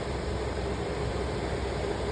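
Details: Attic AC air handler after replacing the failed blower motor and deep-cleaning the blower wheel: steady even airflow rush with faint constant hum, no knocks, scraping or wobble; normal blower operation, delta T and refrigerant pressures checked next.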